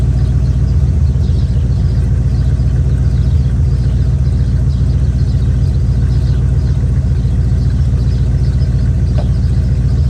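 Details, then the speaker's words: Chevy square-body barn-find truck, automatic V8 (called a 350), after timing set by ear and a distributor, carburetor and ignition tune-up: settles into a steady, even idle with a deep low rumble, no misses, knocks or hunting; motor running decent. "Got her cleaned up as good as we're going to clean it up. The motor's running decent."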